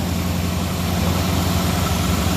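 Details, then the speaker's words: 1965 Mustang Fastback with a 289 V8, just after fitting a refurbished Holley 600 cfm four-barrel carb, fuel pump and lines, electric choke, cold start. Fast, steady, deep idle, estimated at about 1200 rpm; high idle while cold, with a slight exhaust rattle possibly from a broken hanger. "it's a little high but i'm gonna let it warm up a little bit it's probably there's no tack on it it's probably 1200 rpm right now"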